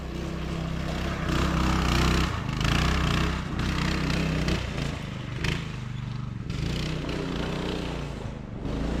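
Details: Child-size go-kart engine, after sitting for years, on driving test after new carb and throttle cable, adult driver aboard: buzzing, pitch rising and falling with throttle, pulling without stalling or bogging; runs pretty good.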